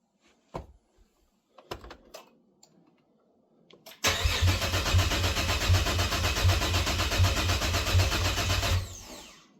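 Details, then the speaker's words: Cadillac ATS-V swap project, 2013 ATS 2.0T shell: about five seconds of steady starter cranking, never catches; no fuel pressure suspected, fuel pump not heard priming. "I wonder if this thing's going to start before my battery's dead but we'll try it again"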